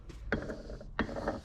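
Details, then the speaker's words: Polaris Sportsman 1000 Highlifter rear differential, mud-contaminated (clogged vent suspected), rebuilt but unshimmed: turned by hand, a heavy clunk about every two-thirds of a second with gritty gear rub, worse at speed; the ring and pinion faces are worn. "so you can even hear like that sound of course the faster you go the more prominent that is and you just it's not good"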